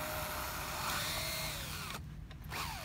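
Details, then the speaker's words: Traxxas Slash 4x4 RC truck struggling in dune sand on new paddle tires; high motor whine with rough gritty grinding as the wheel spins, then rear drive lost; suspected differential or gear problem, unconfirmed. "uh oh guys we got an issue we're getting some type of gear issue of some sort i think you guys can probably hear that"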